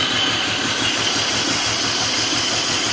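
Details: 2000 BMW 528i six-cylinder, cold at idle: a quick, steady, evenly spaced ticking knock under a loud hiss; knocking when cold, source undetermined.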